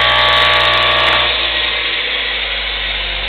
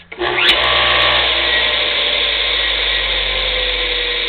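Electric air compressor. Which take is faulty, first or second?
first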